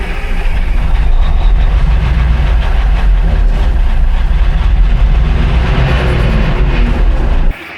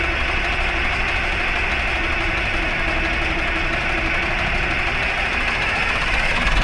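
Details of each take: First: 1960s military crane diesel, 81 original hours, long sitting, cranked while fed starting fluid: loud steady cranking churn for several seconds without catching, then cuts off; not picking up fuel. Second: 1960s military crane diesel, 81 original hours, previously acting starved for fuel: steady, even idle with dense unbroken clatter, no stumbles or surging; running again, though a hydraulic leak remains.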